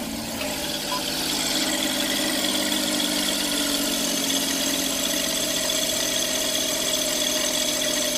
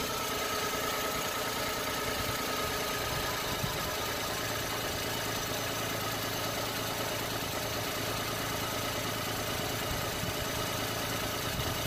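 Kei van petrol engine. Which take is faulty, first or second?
first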